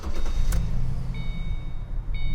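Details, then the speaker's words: 2005 Mustang at 196k miles, after replacing the serpentine belt, idler pulley and tensioner pulley, plus new plugs, wires and O2 sensors: low steady idle with the door chime pinging, and no belt chirp or squeal; squeak gone. "I just want to start this with the door open so you can hear that we got rid of the squeak by changing the serpentine belt, idler pulley, and tensioner pulley."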